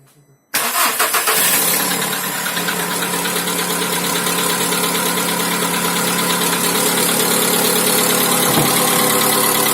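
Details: 2010 VW Polo Sedan 1.6 CFNA 105 hp, 176,000 km, cold start: fires and idles with a rapid, uneven ticking knock; no oil consumption, pulls well, source unknown.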